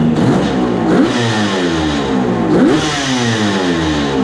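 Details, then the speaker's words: 1974 Kawasaki H1 Mach III two-stroke triple with H2 750cc engine, warmed up, idling around 1,500 rpm: uneven low idle with a hollow knock every second or two, sounding like crank bearing noise; heavy smoke, owner suspects leaking right crank seal. "ing's warmed up getting some sounds like crank bearing noise shut the door so you can hear better definely get plenty of oil see she's smoking good"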